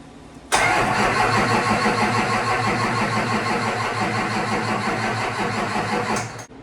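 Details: Built LB7 Duramax in a 2003 Chevy (100% over injectors, CP3, lift pump, 75mm turbo) being primed after the build. Starter cranks about six seconds unevenly with no start despite fuel at a cracked injector; suspected fuel pressure loss or leak.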